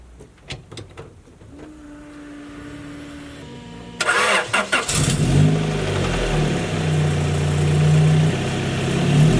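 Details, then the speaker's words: Honda Prelude FWD drift car, sat abandoned, first start after a new timing belt (original since new) and new fuel filter. Cranking catches at about four seconds into a steady, even run with no flapping or ticking from the belt. It runs happily, with no fuel leak. "so car sounds like it's running happily"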